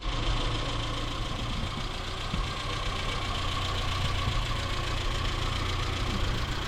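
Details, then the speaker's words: 1977 Datsun B210 just after a new fuel pump was fitted and primed, carburetor choke still not sorted: slow, somewhat rough idle with a soft low pulse and faint tick; idle speed too low. "Well, I think the idle needs to come up, but the fuel pump's"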